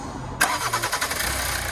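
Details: 2011 Toyota Avensis T270 2.0 D4D diesel after intake manifold and EGR valve carbon cleaning with new gasket: short crank, catches cleanly and settles into a steady, even idle with no knocks, misses or leaks; normal start and idle.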